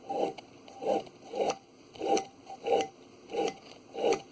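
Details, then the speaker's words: Worn inner CV axle intermediate shaft bearing, removed from the passenger side of a 2015 Chrysler Town & Country, spun by hand near the mic. Slow gritty scraping bursts. Complaint was a wheel-bearing-like noise unchanged when swerving. "I think you should have been able to hear that so when you're driving the car that sounds like the wheel bear out anyway"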